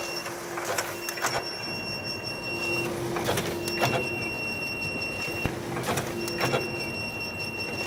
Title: FS-527 Loud noise. Konica Minolta